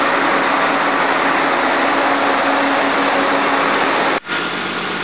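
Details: 1977 Jaguar XJ12 Series II 5.3L EFI V12, not fully warmed, first start after new water pump, radiator and fans fitted, air conditioning on: smooth even idle with steady hum, no knocks or ticks; healthy, temperature later holds normal.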